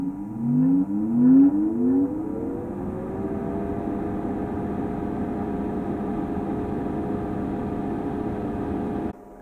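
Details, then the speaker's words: HP 5340A 18 GHz frequency counter from about 1974 with Nixie tubes: at power-up several quick tones glide upward in the first two seconds, then settle into a steady hum until power cuts off; normal startup sound. "that's a nice sound that start up let me do that again"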